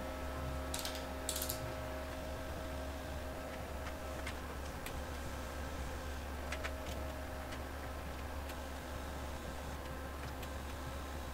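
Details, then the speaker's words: TIG welding 304 stainless fridge handle at about 100 amps DC: light irregular tapping of the filler rod dabbing into the weld pool over a steady electrical hum, indicating a good, controlled pool. "here i'm dabbing away you can hear the nice tapping noise of the the filler rod hitting the weld pool dipping really nicely"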